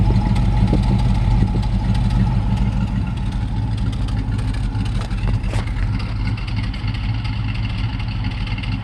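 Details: LT1 V8 at idle: a lumpy, uneven stumble about three times a second; the misfire is on the driver's side bank, which shows black sooty exhaust.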